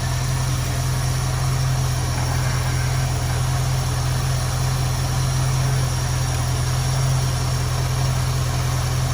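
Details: 1973 Ford Mustang convertible 302 V8, Motorcraft 2150 two-barrel carb; idle mixture screw turned in on one side until the engine runs rough, low uneven loping idle from lean mixture, to be backed off until smooth.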